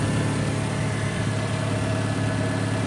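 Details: 2013 Dodge Dart 2.0L just after changing to four new iridium spark plugs: steady, even idle hum with no stumble, sputter or hesitation; plugs seated correctly, engine runs smoothly.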